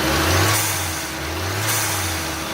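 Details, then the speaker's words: Turbocharged car after water pump replacement, air box removed, coolant topped off: revs taken through the RPM range to check pump and bleed air, rising and falling cleanly with a steady turbo whistle; normal spool. "It's also not a bad idea to kind of take the engine through the RPM range just to ensure that the water pump is spinning at higher RPMs. Plus, since the air box is off, you get to hear the cool turbo noises."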